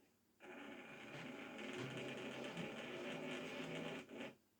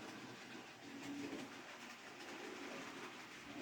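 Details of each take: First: Hornby model railway loco "Belfast" on maintenance day: thin motor whine wavering and surging for about four seconds, then cutting out; loss of power pickup because the pickup wire has come off, a recurring problem. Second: Hornby model Ruston locomotive on maintenance-day test after about four laps: quiet even rolling whir with light track clatter, no catching or stalling; normal running.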